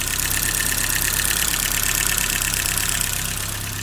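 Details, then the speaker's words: 1984 BMW E30 318i, failed smog: fast even top-end tapping over idle with slight stumble, before valve adjustment and idle control valve cleaning. "now on top of that little stumble at idle the top end is still a little bit noisy"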